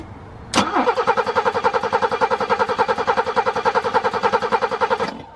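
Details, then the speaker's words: BMW E30 with M20 petrol six, sitting in the woods 5+ years: strong, even cranking at about three and a half beats a second for over four seconds, never firing; cranks but no start. Owner believes compression is good; spark and fuel being checked. "so to start if you guys remember it cranked strong but no start so we're gonna uh look for spark look for fuel see if we can pinpoint what it's not getting it"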